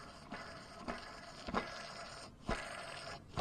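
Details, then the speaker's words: Ford Escort GT idler pulley removed and spun by hand: dry gritty rasp with scratchy surge at each push from a dry bearing; new pulley is silent. "y'all hear that that bearing is dry as I don't know what very dry very dry"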